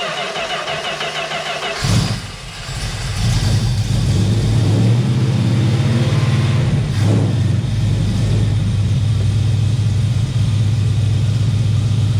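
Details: 1971 Plymouth Valiant Scamp V8, parked 16 years, started with fuel hooked up: brief crank, fires around two seconds in, then a steady, even, deep idle with no misses; running smooth.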